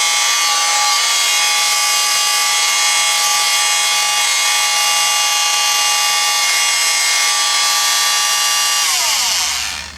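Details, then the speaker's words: Rockwell Sonicrafter oscillating tool after repairing the speed control circuit (broken resistors, bad chip solder joints), run from low speed upward: steady high buzzing hum, no cutting out, then winding down. Normal steady running. "last way it's supposed to sound nice and steady"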